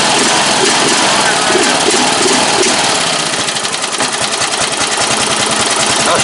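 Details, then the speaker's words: Single-cylinder ride-on mower engine after replacing a leaking fuel tank, started with a screwdriver: quick even patter about three beats a second, no misses or knocks; normal idle. "She'll sit there today. Yes, sir. Good engine. Impressive."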